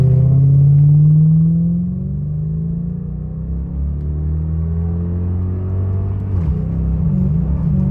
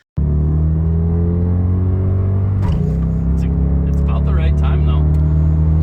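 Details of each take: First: 1991 Lexus LS400 automatic (A340) after Transgo shift kit and new shift solenoids: engine note climbs, drops and climbs again as transmission shifts back and forth up and down between gears; hunting, one of the new problems after the install. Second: 1991 Lexus LS400 automatic (A340) after Transgo shift kit and new shift solenoids: engine drone pulls hard then drops pitch in one quick clean step; crisp firm upshift, much harder than before, no slipping.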